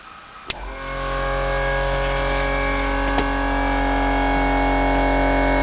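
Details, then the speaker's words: Home-built EV power brake vacuum pump with transmission-fluid-filled muffler, switched on: click, then loud steady motor hum at even pitch, short run; operating normally. "It's very loud, but doesn't last too long, and presumably I now have power brakes."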